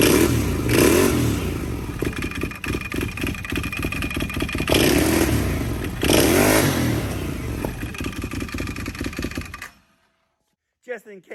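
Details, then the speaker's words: Can-Am Outlander 800 ATV with belt box off after new belt and clutch: rapid metallic clatter rising and falling with revs from the exposed belt drive; cause unclear, owner wonders about the clutch. "she seems it wasn't good she still makes this real clanky noise I don't know what's wrong with my clothes"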